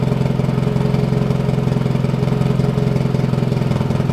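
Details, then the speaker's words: Golf Mk1 4Motion AWD turbo engine at steady idle after re-tightening manifold-to-turbo bolts, uneven puffing tick on each exhaust pulse; leak seems not from the gasket but a hole in the exhaust side of the turbo. "actually actually it seems like it's it's definitely leaking uh but it seems like it's not from the gasket between the the the manifold and the turbo hold on seems like there is actually a hole in the exhaust side of the turbo"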